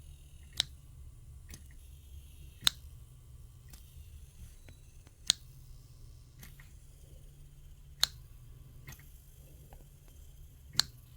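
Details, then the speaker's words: Vintage Leslie speaker upper slow motor, heard while unplugging and replugging: sharp slapping ticks about every 1.3 seconds over low motor hum; internal spring worn and needs replacing with a rebuild kit. "or that slapping noise all right you shouldn't slap like that so what that means is that the spring and here needs to be replaced"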